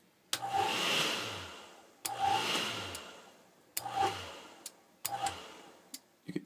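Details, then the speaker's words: Aprilaire model 50 sensing electronic relay, bench-tested before installation: four sharp clicks about every 1.5 seconds as the relay pulls in and drops out with voltage; normal relay switching. "that relay clicking and you wants to see that voltage doing exactly dropping down clicking up talking down you know so it drops down represents a short"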